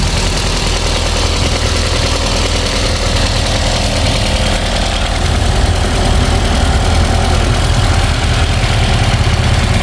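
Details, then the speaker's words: Ford EcoSport after replacing a noisy replacement-grade drive belt: steady, even idle hum with no squeal or chirp from the belt area; engine running smoothly and quietly, normal idle. "Yun, umandar na mga boss. Mandar niya, wala na siyang ingay, no?"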